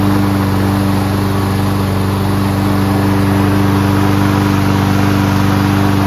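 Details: Toro Recycler Personal Pace mower with Chinese Loncin engine, started on first pull with choke manually closed after self-propulsion repair: loud, steady single-cylinder drone holding even pitch, no stumbling or surging, no smoke despite being on its side; running smoothly.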